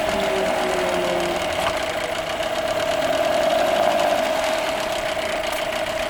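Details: 8hp Nissan outboard, previously a no-start, final running test: steady even buzzing run with clear mid-pitched tone, no misses or knocks; running smoothly.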